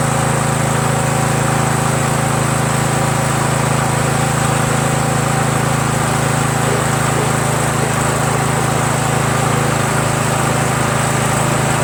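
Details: Troy-Bilt lawn tractor, 17.5 hp Briggs overhead-valve single-cylinder, after carburetor swap with fuel solenoid valve removed: steady, even beat with no surging or hunting, running clean and smooth; the deck still vibrates slightly with the PTO engaged.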